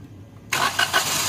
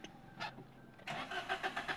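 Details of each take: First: Suzuki Alto (about 2019–2021) that showed DTC P0336 crankshaft position sensor range/performance with long cranking; after repair, a short crank burst catches within half a second and settles to an even run: normal quick start. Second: 2021 Suzuki Alto with DTC P0336 crankshaft position sensor range/performance: long cranking without accelerator, evenly about two and a half beats a second, never starts; crank no start.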